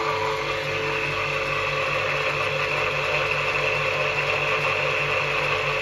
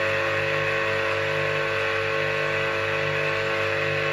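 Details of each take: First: Old Soviet electric motor, bearings freshly regreased, never used since, wired in star from a capacitor, running unloaded with steady hum and even whirr, slight bearing noise judged harmless: normal no-load running. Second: Old Soviet three-phase motor, bearings regreased, run on single phase via capacitor (10 µF start, 15 µF needed) wired in delta; loud gritty buzzing hum, while star connection runs softer and cooler.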